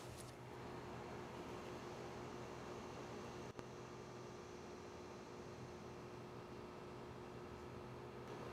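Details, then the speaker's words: Home A/C condenser with a quiet Copeland scroll compressor, no sound blanket, heard from about 20–30 ft (about 53–57 dB): soft steady hum with faint fan whoosh, even and unchanging; normal quiet run. "This is a Copeland scroll compressor and it is very quiet. The only time you really can hear a lot of noise from it is on startup and on shutdown. If you get right up on it, you can hear a gentle hum."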